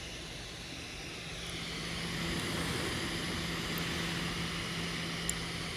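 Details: Brand-new Lenovo ThinkPad P1 Gen 3: fan (usually under left of keyboard) swells and fades every one to three seconds with faint ticks over it; owner guesses clicking is heat-pipe and vent expansion, not confirmed.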